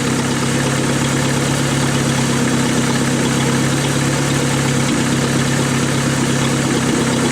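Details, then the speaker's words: 1988 Dodge Dakota 2.2-liter four-cylinder, 5-speed, at idle: loud raspy drone with uneven exhaust chuff; exhaust leak because the pipe slipped out of its clamp and the muffler came loose. "camera here it's right there's about where the exhaust leak is it is getting a little bit soft out fight it sounds so good but I can't leave it like that"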